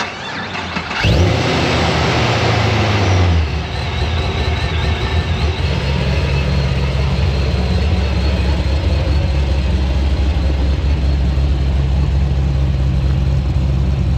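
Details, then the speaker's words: Procharged Pontiac GTO LS V8 with new starter and heat shield: short crank, quick catch, then deep, even, fairly tame V8 burble at idle through new Magnaflow X muffler; exhaust sounds healthy. "Sounds pretty decent with that new Magnaflow muffler on there. The X muffler sounds pretty good. It's a little tame, but it sounds good."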